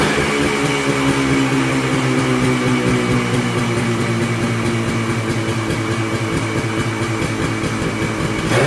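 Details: Polaris Colt two-stroke snowmobile idling on its own after carb work (it would not idle before); steady, slightly high idle with an even crackling beat and no stumbling, running much better than before. Choke cable broke during the work.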